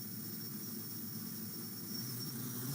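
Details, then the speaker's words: Arduino Mega 2560 self-stabilizing quadcopter after calibration (LED blinking): the propellers step up in speed in stages toward takeoff speed, giving a thin, steady high whine over a soft hiss; this is a normal spin-up. "Then the propellers go faster, and the propellers keep increasing in speed in steps until they get to the takeoff speed."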